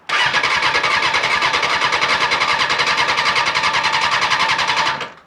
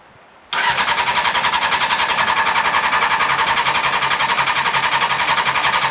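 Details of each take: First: Honda CBR600 motorcycle, 21,000 miles, on a jump pack before fuel is added: fast, even starter whirring spins the engine for about five seconds with no catch or grind; healthy cranking. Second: 2000 Honda CBR600, non-runner pulled from a hedge, on a booster pack with choke on: steady even cranking at about four beats a second for over ten seconds that never catches; immobiliser not recognising the key.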